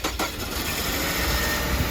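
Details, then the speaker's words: 2002 Ford Focus SE Wagon with a no-crank fault, after replacing the neutral/backup switch and jump-starting a dead battery: a short crank catches quickly and settles into a steady, even idle with no misses or knocks. The car starts normally. "Success. Well, we'll get this put back together, get it off the box. We're good to go."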